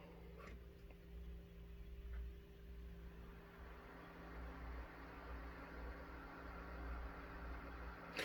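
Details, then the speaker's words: Korad KA3305 dual 30V 5A bench power supply after the whining original cooling fan is replaced with a new one. Soft, even hum with a low steady tone and no whine or rattle. The new fan runs quietly. "that does sound a lot better than the other one it had a whining to it it was very annoying"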